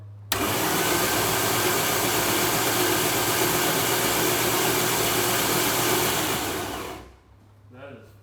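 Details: Rebuilt Rallygolf on its first start attempt after 30 years: slow, steady cranking about three turns a second for six seconds with no spark and no firing; a sensor connector possibly pinned wrong (12 V on 5 V supply pin) is suspected, not confirmed.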